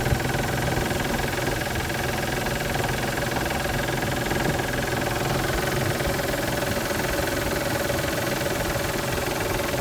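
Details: 1999 Isuzu VehiCROSS, 127,000 miles, idling with a steady knock of about three to four per second, about a month after timing belt tensioner and seal replacement; the cause was a collapsed timing belt tensioner and the water pump, and it now runs fine.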